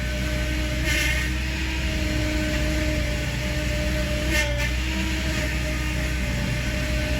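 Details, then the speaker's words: Idling engine with front end raised, steering turned lock to lock during power steering air bleeding under vacuum: steady whine rising and hissing at full lock from aerated fluid, quieting as bleeding continues. "So let's start it up. Okay, now you can hear that whining sound going."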